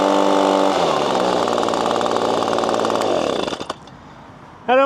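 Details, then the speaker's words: Six-year-old Echo PB-250LN handheld two-stroke leaf blower, warmed up, at full throttle after a new spark plug and air filter: flat buzzing drone that does not climb or wind out as when new, then dies away; not revving out, cause unknown. "don't really hear that that winding out sound that it I think it did when it was more new."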